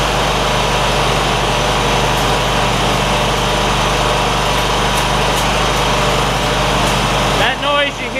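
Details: John Deere ZTrak zero-turn mower, Kohler V-twin, sat 2 years, after carb clean fixing sticky fuel solenoid: steady idle with faint irregular light ticks from oak leaf debris striking the back of the cooling fan, which clears shortly.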